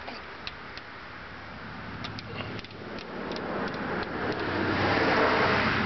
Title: Pike Clunking noise